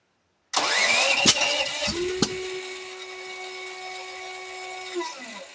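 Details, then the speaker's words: Duromax generator, fuel valves open: it cranks and stumbles with two sharp backfire bangs, then sags and dies. Afterward the starter solenoid sticks and the start indicator flashes red. Hard starting with backfires. "having a hard time starting this thing up, a lot of backfires."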